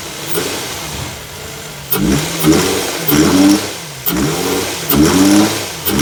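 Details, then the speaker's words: Infiniti FX35 V6, running: smooth idle with crisp throttle blips, revs rising and falling cleanly with no knock or tapping; healthy engine. "Sound of a splendary, beautiful, lovely sound."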